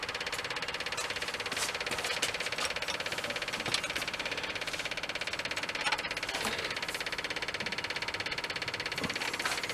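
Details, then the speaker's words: Early-1980s Bobcat skid steer repowered with a different diesel engine: even starter cranking about three beats a second, engine never fires; no start from air in diesel fuel system, bleeding at fuel lines and injector lines. "there goes the air now we got it diesels do not like air"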